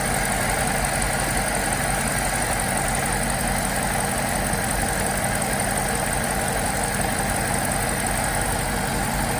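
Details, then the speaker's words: 2008 BMW X5 E70 4.8i V8 idling smoothly and evenly with no stumble, after replacing all eight ignition coils with Delphi units; misfire issues resolved, normal idle. "okay so with this all the misfire issues got sorted out"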